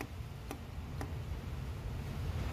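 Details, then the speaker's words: Nissan/Vauxhall/Opel EGR valve after cleaning, actuated repeatedly by diagnostic tool: two faint clicks over a low hum; valve now moving but still not sounding right, should click clearly, likely still carbon clogged. "it's now it's moving it's still not sounding proper it should be click click click"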